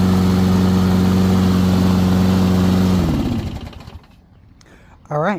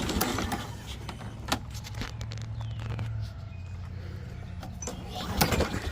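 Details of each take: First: Toro Recycler 22 electric-start mower after battery recharge, spark plug regapped from 45 to about 30, new primer bulb and filter; small engine holds smooth steady hum about three seconds, then winds down cleanly, running evenly. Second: 2004 Toro Recycler 22 electric-start push mower (engine number 125K05-0186), left unused since last year; starter drones with steady low hum and scattered clatter after carb spray, engine never catches: cranks without starting, battery suspected dead.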